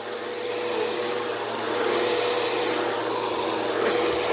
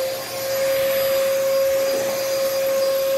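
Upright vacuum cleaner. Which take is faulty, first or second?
second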